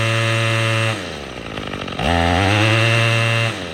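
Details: Troy-Bilt TB22EC string trimmer that wouldn't start after sitting, after primer bulb replacement: crisp two-stroke buzz drops to idle, then revs back up cleanly and holds steady; pulls evenly with no stumbling, running healthy.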